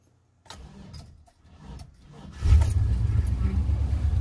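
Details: Truck with a 6.0 engine, unused for a long while, battery charged and B12 sprayed into the throttle body to help starting: a few soft cranks, then it catches and settles into a steady, even low rumble; normal start.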